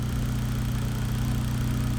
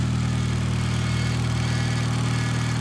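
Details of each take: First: Built Mitsubishi Evo X after its first start, following a fix with a Harbor Freight vacuum kit on the reservoir: steady, even low idle with no whine or rattle; the earlier hideous engine-bay noise is gone, normal idle. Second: Built Mitsubishi Evo X, newly running after months of build: steady low hum with constant whine at idle; owner first suspected the timing cover side, now thinks the power steering pump, possibly low on fluid; unconfirmed.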